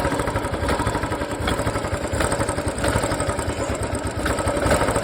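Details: Royal Enfield Classic single-cylinder with a complaint of odd noise when picking up, after parts were cleaned and refitted: steady thump with a light even valve tick, no knocks or misses; idle sounds healthy.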